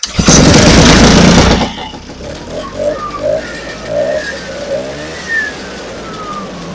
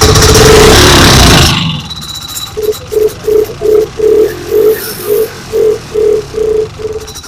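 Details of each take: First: Vintage two-stroke snowmobile, first start of season after repair, fuel filter replaced (old one's stripped stud wouldn't tighten): fires with a loud burst of revs, then drops to a light, even idle with no stumbling; running fine. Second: Vintage snowmobile two-stroke, stored since last spring, first start with choke and primer: catches about 1.5 seconds then dies, squeaky pumping strokes; not pumping fuel, loose fuel line suspected of sucking air. Stuck carburetor needle.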